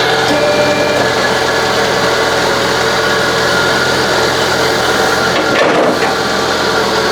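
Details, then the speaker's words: Citroën BX hydraulic suspension and brake pump running with a steady even whirr, no knocking or grinding; still somewhat noisy as the pump is likely empty, normal running. "Start it up. Oh, straight away it sounds a lot better. Still noisy, but that is to be expected, I think, especially now that the pump is probably completely empty."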